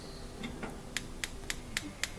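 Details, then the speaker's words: Capital range front-left gas burner, cleaned burner head and igniter: faint thin ticks about four per second with no spark, likely not a ground problem; spark module suspected. "but when I try it same thing just to really faint sound no spark at all so makes me think that well it's not the ground problem"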